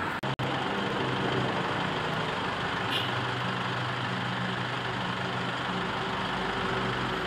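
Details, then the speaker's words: Toyota Innova 2KD-FTV turbo diesel idling after a 4-in-1 tune-up cleaning intake, valves, combustion chamber and catalytic converter; even, steady idle with low regular chug, no knocks or misses, engine sounding smoother than before. "Suara mesin terdengar lebih halus."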